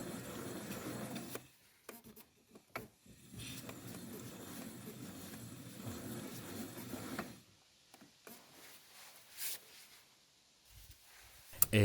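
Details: Citroën XM front wheel bearing, removed with hub carrier, spun by hand: dry, gritty rumble from the worn bearing.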